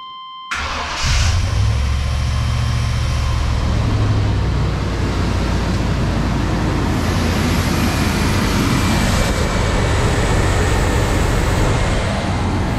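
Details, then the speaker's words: 1994 Chevy Silverado 1500 Z71 V8 starting for the first time in over 10 years after a throttle body rebuild: brief crank, then it catches into a loud, steady idle without stalling; owner notes vacuum leaks still to fix. "it's alive this is the first time this engine has ran in 10 years i'm finally oh it's awesome"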